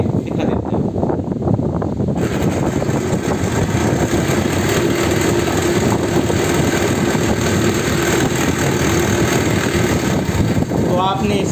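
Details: Ceiling fan running with a steady, loud rattling hum from a worn, loose bearing housing; fixed without replacing the bearing.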